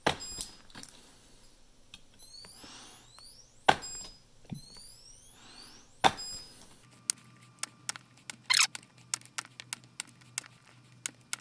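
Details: Spot welder in auto mode at 50 joules welding 0.2 mm nickel strip onto a DIY 12 V LiFePO4 battery: sharp snapping clicks in a quick run, each with a short electronic chirp; normal welding.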